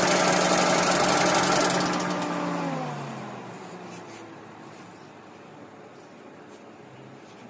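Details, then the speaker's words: 2012 Hyundai Accent petrol/CNG at idle: loud, fast, even top-end clatter fading as the engine winds down; jammed hydraulic tappets and worn rockers, and a bearing was also reported bad. "क्योंकि गाड़ी आई है sound को लेकर sound है बहुत ही ज्यादा गंदा जहां भी काम हुआ है खैर यह पता नहीं मगर साउंड ज्यादा खराब है"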